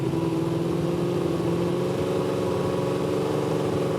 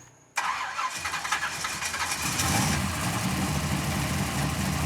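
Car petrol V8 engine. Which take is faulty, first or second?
first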